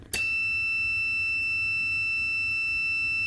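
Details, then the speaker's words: Relay contacts tested with a multitester in buzzer (continuity) mode: a steady high beep comes on sharply and holds without dropping out while the relay is on, showing the contacts are closed and conducting. "Kalau kita tes pakai multitester di mode buzzer, terminal kontaknya terhubung saat relay kondisi on."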